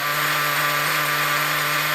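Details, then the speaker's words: Nitro RC buggy with a new Nova B5R Evo engine, run indoors on its first tank (run-in) with a gas pipe on the exhaust: high, steady buzzing note at even pitch, no stumbles or rattles; running nicely, normal. "is it it's running nicely that's his first tank that it's doing at the moment"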